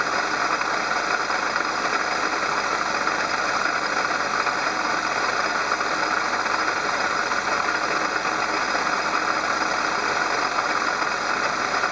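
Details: Engine-bay noise complaint traced on inspection to the water pump: steady idle with a constant hissy whir over the engine that doesn't pulse with firing; water pump bearing noise.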